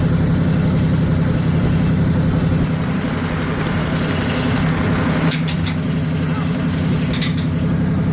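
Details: 1978 Chevrolet K20 V8 first start after sitting for years, carburetor suspected junk: steady drone, no misfires, holding a fast raised idle that never settles to normal; high idle.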